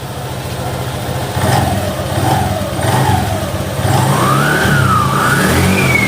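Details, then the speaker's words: Scooter after CVT service (new clutch shoes, pulley greased with heat-resistant grease): revs up and down smoothly, pitch rising and falling cleanly with throttle, no slipping, rattle or judder; very smooth, drive healthy. "Anjay, halus banget guys. Halus banget cuy ya."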